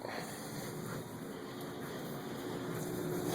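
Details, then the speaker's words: Air handler after the blocked-off vent grille is unplugged: steady, even blower air rush with no whistle or strain, normal unrestricted airflow; static pressure had tripled from -0.13 to -0.33 inches while it was choked. "And it sounds happier already."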